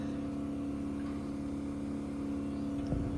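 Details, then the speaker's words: Baxi boiler with only the heating on, losing pressure daily and topped up three or four times a day: steady low drone and hum that stops when the heating is knocked off; pump suspected, cause not confirmed. "Now, if we knock it off, noise stops. started again. I'm inclined to think cuz it's the pump, but they're losing pressure every single day."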